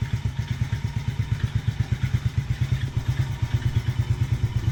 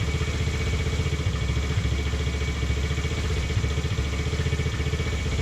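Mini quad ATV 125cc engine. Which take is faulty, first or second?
first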